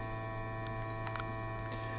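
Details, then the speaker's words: Vintage radio vibrator power supply on 24 V input, giving about 175 V output: steady low buzzing hum with faint ticks from the vibrator working normally. "let's turn it on well you can hear the uh vibrator"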